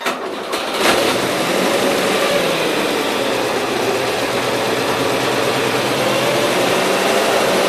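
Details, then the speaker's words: 1977 Gravely GMT 900 small single-cylinder engine picks up under power but runs uneven and strained, not right for fourth gear; engine running rough under load, carburetor main adjustment screw being fiddled with. "runs there but she ain't quite running right to be using fourth year so sweet"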